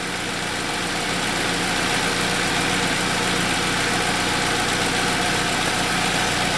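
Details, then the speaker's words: 2007 Saab 9-3 2.0T with intermittent injectors-staying-on fault, codes P1682 and P0201-P0204: after the fault cleared, steady even idle with smooth hum and no stumble or missing beats; engine running cleanly. "I'm starting to hear the vehicle run better. I can hear it starting to clear up. Everything's coming back to life."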